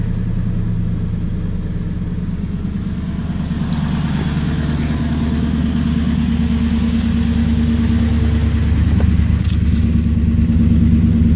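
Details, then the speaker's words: Ford F-150 cold start, with new battery, fresh fluids and new power steering pump, aftermarket oval muffler with dual exhaust: catches and settles into a steady, regular low idle, no misfires or knocks; normal cold start and idle. "Let's fire this thing up. You guys can hear what the exhaust sounds like, too. [Music] Man, I missed that sound."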